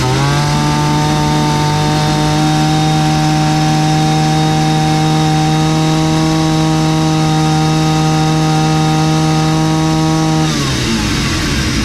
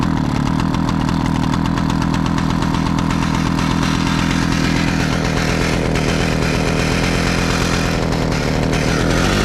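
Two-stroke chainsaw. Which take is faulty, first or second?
second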